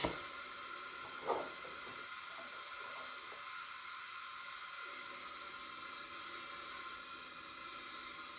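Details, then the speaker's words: Leak-down test on an old front-engine dragster motor that sat about 30 years, engine not running: steady high airy hiss as air escapes the cylinder, some at exhaust, most past the piston rings into the bottom end; one bad cylinder. "Lots coming out of the cylinder little something exhaust for 70 and that is all not all of it but lot of it coming out the bottom end"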